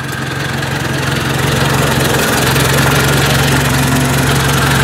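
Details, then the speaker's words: Ford 800 tractor idling after a new muffler install: steady, even low putter with a regular firing beat and no knocks or misses; normal idle, everything tight. "sweet well that sounds pretty nice i think she's ready for plowing this is all in good everything's tight"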